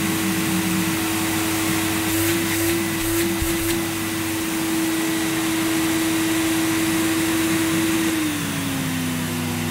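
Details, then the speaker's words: 1987 Electrolux Elite Super Electronic vacuum cleaner started at 1000 watts: motor whine holding then dropping in pitch with a rough low growl; motor suspected abnormal, though the growl was attributed to the cable rewinding. "it's some sort of growling noise oh i thought oh crikey what's that noise it's just the noise of the cable winding itself in"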